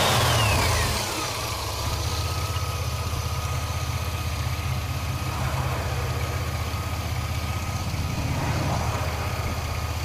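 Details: 2002 Chevy S10 Blazer V6: thin, high whine when accelerating, falling in pitch as revs drop then steady at idle; source unknown.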